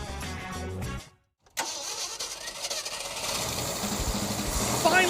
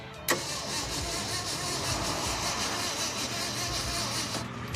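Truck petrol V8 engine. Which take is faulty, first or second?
second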